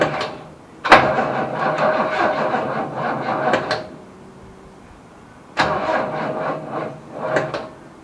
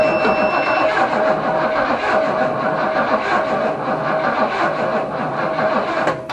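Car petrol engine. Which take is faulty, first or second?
first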